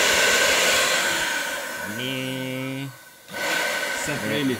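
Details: Dessini DS-903 blender that would not start, after replacing its switch with one from a Kenwood (250 V 10 A): steady high-pitched rushing whirr, brief dip then recovers; motor starts and runs normally.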